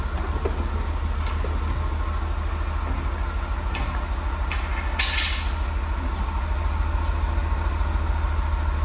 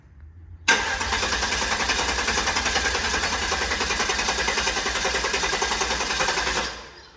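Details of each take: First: Guanci SSJ late-1970s mid-engine V8 prototype, first start after 20-plus years sitting: deep, steady V8 idle burble with an even low pulse, no misses or knocks, running clean. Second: Guanci SSJ mid-engine V8 prototype, first start after over 25 years in storage: long fast cranking about six seconds without catching, with a pop heard, unsure whether from intake or exhaust; no fuel leaks seen.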